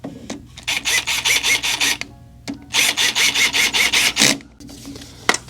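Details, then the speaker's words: Mobility scooter after brake adjustment, wheel turning: quick rhythmic scraping about five a second as the brake still rubs a little. "can still hear it rubbing a little. There's really not much we can do."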